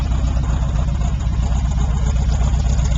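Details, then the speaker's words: 1978 Pontiac Trans Am, 350 V8 with blower and aftermarket exhaust (one pipe hanging low, needs clamp): deep, steady rumble at idle with loose off-beat lope; healthy V8, solid sound, normal idle. "Pretty good at starting right up. Hear it rumble. Got a nice solid sound to it."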